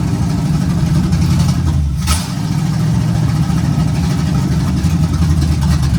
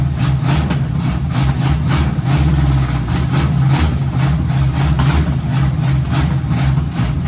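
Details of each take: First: 1951 GMC 5-window cab-over, first start after a temporary vacuum leak fix and a timing adjustment: deep, steady, even idle with a smooth low rumble and no knocks or misses; engine runs well. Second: 1951 GMC cab-over on its first start, fed by spray starting fluid, at a rough, uneven fast idle with loping pulses. A big vacuum leak is noted and was later temporarily patched.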